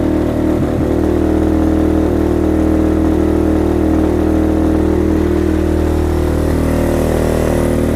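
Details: Venom Thunder 125cc dirt bike, Nibbi carb with fuel enricher used as choke, cold kick start: quick catch, then a steady single-cylinder thump about three and a half beats a second, even and clean; healthy cold start.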